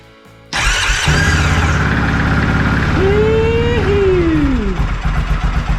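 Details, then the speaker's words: 2001 Yamaha Kodiak 400 ATV after replacing the entire starter one-way bearing with new OEM (previously grinding, sometimes wouldn't turn over): starter catches and engine fires at once into a steady chuff, no grinding or clatter; normal start, oil primed by cold cranking. "It works."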